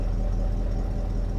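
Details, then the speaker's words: Cheap Copart car idling after a week sitting, with oxygen sensor removed: steady low idle with deep uneven burble, owner says the grumble is from the removed oxygen sensor; car needs a new catalytic converter; exhaust grumble at idle. "now remember the video I did on I did remove the oxygen sensor that's why there's a grumble okay she needs a new cat lots of my cars need new catalytic converters"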